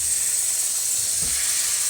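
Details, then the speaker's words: Burst fitting on a hot water pipe under bathroom floorboards, combi boiler firing with no taps open: constant sharp hiss of escaping hot water and steam, with no rhythm; a fitting leaking under pressure. "So that's how we found the leak. So we come around here, open, pulling the bathroom apart. See the floorboards there. And down here, you can hear the water coming"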